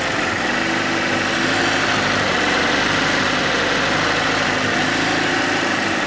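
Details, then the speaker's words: Fiat Panda 4x4 Sisley, FIRE engine, after water pump replacement, at hot working temperature with thermostat open, mixture turned down: smooth even idle, steady low drone, no grunty grinding sound; normal warm idle, repair successful. "it's all up to uh a nice hot working temperature the valve's definitely opened up and I'm getting no grunty grindy sound so to me that is definitely a job well done"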